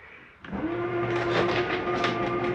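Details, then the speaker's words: 2022 Catalina Legacy 343BHTS travel trailer slide-out at its stop: motor starts abruptly, then a steady strained tone with rough chatter, the mechanism stopping itself, not grinding and harmless. Normal end-of-travel noise. "That is not anything grinding. That is the slide mechanism telling itself not to come in any further."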